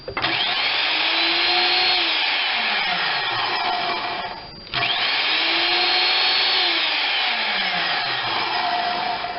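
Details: Skilsaw SPT77WML 7-1/4" worm drive circular saw (saw 3), retested after handle tightening; two clean spin-ups to a steady high whine with smooth coast-downs, no rattle or grind, passes as good.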